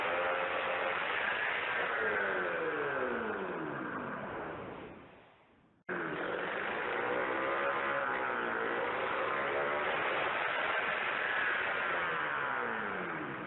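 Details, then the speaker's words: Rusty 440 Hirth two-stroke snowmobile engine, ignition and carb swapped over, no exhaust pipe: revs up and falls away in repeated sweeps, cutting out briefly then picking back up; runs. "She makes a good lug lug lug sound even with the spark plugs open, so she's got good compression."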